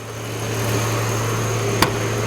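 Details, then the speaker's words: 1993 Nissan Quest minivan revived from auction after battery drain, seized brake caliper and strut repairs: steady low hum, even unbroken idle with no knocks or misses, engine purring smooth and healthy. "Very impressive vehicle, and you can hear it's just purring away"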